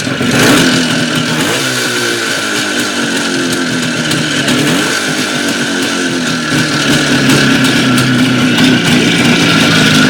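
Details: Jupiter 5 two-stroke engine idling then revved, a loose uneven knocking about four per second over the exhaust; engine knock, cause not pinned down.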